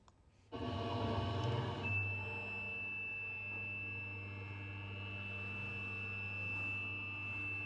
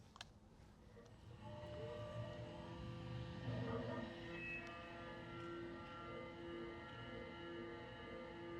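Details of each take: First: CNC milling machine, original (unoptimized) toolpath of a milling operation: steady piercing high ring over spindle hum through the cut, chatter vibrations a machinist would not want to hear; optimized toolpath later removes it. Milling chatter. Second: CNC milling on an optimized toolpath with considerably higher spindle speed and feed rate: steady, even cutting tone with clean pitch, no rising howl or scream; normal cut free of chatter vibration.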